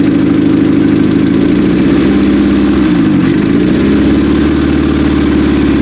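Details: 1995 Acura Integra LS, turbo B18 semi-built motor with forged internals, aftermarket cams, eBay turbo, new head gasket: first start-up idle uneven and stumbling with lopsided beat and a dip, as if a cylinder not firing; suspected misfire.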